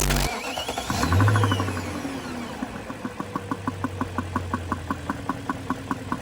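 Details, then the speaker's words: BMW E39 540 V8: after start and a brief rev, a sharp regular tick about three per second that moves with revs; owner suspects a stuck valve or vacuum-type sound, unconfirmed. "for me to hear a sound that i shouldn't hear is kind of annoying and shouldn't happen so what i did i just gave it a little rev and just to see if it moved with it or if that sound stayed relatively idle and it actually moved with it"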